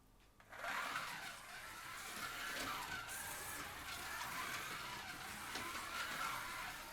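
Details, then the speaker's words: Policar WRX slot car, the yellow one, lapping with a thin whine that rises and falls, after light tuning and sanded tires. Gear whine is slightly more than the blue car's; the silver car is noisiest. "and that is a little bit more whiny sound but good nonetheless so I think the blue one and the yellow one are pretty well matched and the silver one is the worst in terms of noise from the gears"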